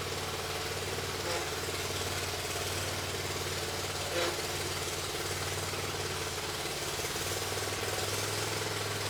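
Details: Bobcat zero-turn (Ransomes 942205) with Kohler SV730S V-twin, started with operator on seat, neutral, parking brake on, during wiring troubleshooting: even low-rev idle, steady throb, no misses.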